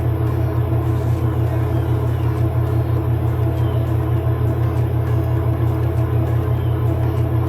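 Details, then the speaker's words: Kenmore 70 Series (Whirlpool direct-drive) washer that won't spin: heavy steady low hum with slow throb as the motor labours and never reaches spin speed; drag later traced to a blockage in the water pump. "Yeah, there's something dragging. I think there's something stuck under that tub. Seems like you could hear it."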